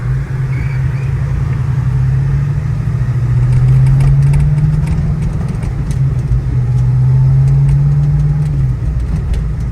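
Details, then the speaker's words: 1984 Mustang GT350 Fox body on the road: even engine drone rising under acceleration, dipping briefly at each gear change and pulling again with no clunk; clean, smooth shifts. "Once we turn up here, I'll show you how smooth it shifts."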